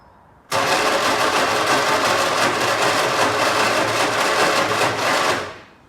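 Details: 1964 MG Midget, unrun for 29 years, after fitting a new coil, rotor arm, points, condenser and battery and fixing the fuel pump: steady starter whir with even compression pulses for about five seconds, never fires; cranks but no start, cause unconfirmed.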